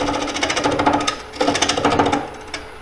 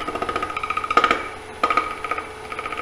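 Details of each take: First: Ellsworth gouge on a spinning square bowl blank: rapid rattling buzz in bursts as it bites; tool chatter, cause unclear, possibly wrong gouge angle, and the tool rest is moving. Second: Square bowl on the lathe: the gouge heel rides the spinning square corners (wood, then air) with fast even tapping,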